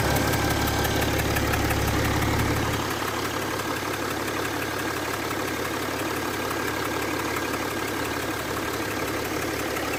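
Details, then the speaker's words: Mercedes ML350 W164 after repair of engine radiator fan always running on full and ACC not working: engine started with AC on, brief fan roar cuts out after seconds leaving smooth even idle; fan no longer stuck on, normal idle. "So it was kind of going around, but I think it was just possibly from a first, maybe the ECU kicks in a little bit. The AC is on as well anyway, so possibly that's why. But the fan is no longer running."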